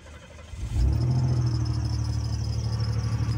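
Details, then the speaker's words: Old GM car restarted after overheating with gauge pegged at about 280 degrees: cranks, catches and settles to a steady low idle; belt no longer squeaks because it is soaked with coolant; owner listening for knock, water pump noise suspected. "You can hear the belt didn't squeak, so what does that tell you? The belt's soaked with coolant."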